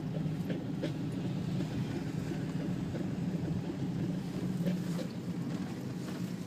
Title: Audi A4 B6 bad wheel bearing